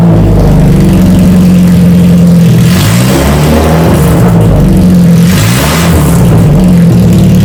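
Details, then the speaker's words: 1992 Saab 900 naturally aspirated 2.1 with old exhaust removed, no mufflers or cats, straight pipes from the engine: very loud, raw, crackly bark swelling with each throttle blip. "all right now that the exhaust is off there's no Mufflers no cats it's just pipes right out of the motor you know I have to start it up for a a minute"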